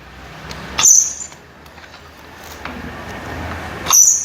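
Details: Paper guillotine letting out sharp, high squeals as the blade comes down, like it is catching on something; oil drops did not help, and the cause was a binding screw at the blade lock latch.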